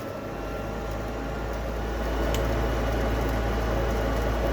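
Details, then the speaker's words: Gas furnace: blower rush builds and holds with no ignition whoosh; igniter never turns on, no flame, owner believes faulty control board, later replaced. "then if it were working properly, we would see the igniter turning on back here, but as you can see, nothing will be firing up. So for some reason, my furnace is not getting a flame, which I believe is because of the control board down here at the bottom."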